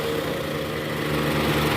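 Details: Toyota Alphard ANH10 2.4 2AZ-FE after replacing the weak fan belt tensioner: in R, AC on, revved to about 1100 rpm, a steady even drone with no groan or squeal. Belt drive normal, though a separate balancer-shaft knock remains.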